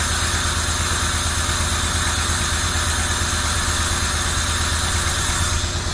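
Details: 1990 Camaro RS V8 after 12–13 years sitting, new fuel pump, plug wires corrected to firing order, timing not yet set: steady even idle, smooth low rumble, background hiss, no misfire or knock; normal idle.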